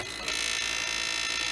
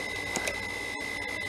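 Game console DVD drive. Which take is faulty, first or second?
first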